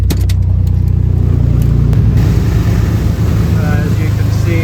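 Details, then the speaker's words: 1986 Mercury Cougar 3.8L V6 with throttle-body fuel injection, idling after a cold winter start. A low, even burble with no ticking, knocking or stumble; the engine runs smoothly. "can see, it runs pretty smooth."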